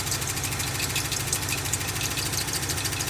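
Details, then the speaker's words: Old rusty Dodge four-wheel-drive truck fired right up, low on antifreeze with a coolant leak and earlier running warm: rough idle with quick uneven light ticking; owner suspects lifter tap needing an oil change, or something hitting the fan; cause unconfirmed. "Look at there, fellas. Fired right up. Now, it's a lift or tap. We'll have to do an oil change, but at least it fired up."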